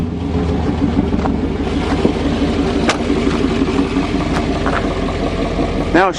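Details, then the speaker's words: 1988 Chevy truck V8 after fitting a makeshift exhaust to bypass a suspected plugged catalytic converter that made it boggy when warm: runs steadily and picks up freely without bogging or stumbling, a brief squeak near the end, healthy running. "let's fire this this [ __ ] up and see what she sounds like now wow New Life to an old motor"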